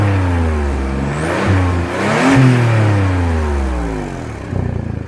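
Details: 2002 Audi allroad 2.7 twin turbo: a raspy, puffing exhaust note that grows harsher as the revs rise and fall. This is an exhaust leak at the driver's side flex pipe.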